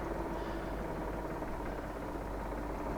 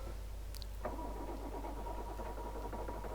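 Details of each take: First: Poclain 90B excavator diesel after bleeding air out of the high-pressure injector lines one cylinder at a time: steady, even low rumble with no misses, now running on all six cylinders; normal idle. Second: Poclain 90B excavator diesel after refuelling and bleeding the low-pressure fuel system, with injector pipes cracked open to bleed the high-pressure side: starts after some cranking into an uneven, lumpy beat, running on only a couple of cylinders from air in the fuel lines.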